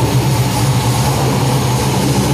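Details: LS-family small-block Chevy V8 in a Lucas Oil Modified race car fitted with FIRA FAST EFI, fired after priming: deep, even burble at steady idle with no ticks, knocks or misfires; healthy.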